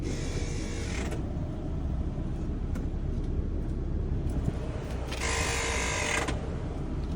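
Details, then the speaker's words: Mazda with 210,000 miles that stopped moving after a horrible noise, shifted into reverse; heavy low rumble with harsh high whirring bursts; CV axles checked OK, transmission failed, not worth repairing. "transmission is gone I already checked the CV axles I've already checked everything that can be checked on this vehicle so if you hear that noise transmission is gone"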